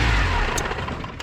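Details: Tofaş Doğan that ran on petrol but not LPG, after the fault was found and fixed: quick blip of revs falling away smoothly, no misfire, popping or stumble; engine sounds healthy.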